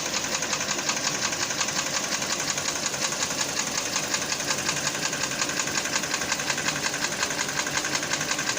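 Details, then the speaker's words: 2014 Kia Cerato 2.0 litre with 87 thousand on the odometer, at idle: a sharp, even metallic knocking of about three knocks a second on top of the idle. It is an engine knock. "Kia Cerato 2 літра. Вот так стучить движок."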